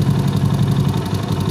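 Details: Honda Astrea Grand after repair of a loose flywheel (magnet) nut and a bolt left inside the magnet, which had caused a rough klotok sound: even, steady single-cylinder idle with a smooth low thump and no knocking; normal idle.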